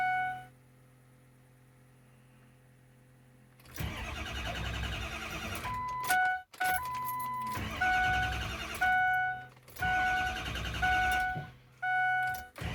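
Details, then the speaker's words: 6.0 engine cranking in several separate bursts, turnover speed rising and sagging between tries with chimes in between, never firing; owner says it sometimes starts, sometimes not; crank no start, uneven cranking speed. "Sometimes it starts, sometimes it don't. If you can hear the difference in RPM here turning over."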